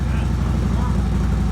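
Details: Harley-Davidson V-twin with Vance and Hines Big Ovals exhaust after welding a broken hanger back on: deep, even loping idle thump, no rattles or buzzing; exhaust sounds solid after repair.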